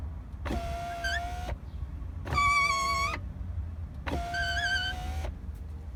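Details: Mini Cooper R56 power window: three strokes, each with steady squeal over motor; regulator cable rubbing against black frame, fixed by greasing cable at that contact point after lubricating cables and blue gear failed.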